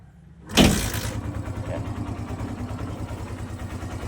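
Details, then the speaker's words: Barako 175 single-cylinder motorcycle with sidecar, previously hard to start from a lean emission-set carburetor fuel screw, after carburetor tuning: one kick and it catches at once, settling into a steady, even idle. "Madali na siyang paandarin kaysa kanina. Yan. Yan nakatuno ng kanyang karburador. Nakatun ang kanyang karburador. One click na siya."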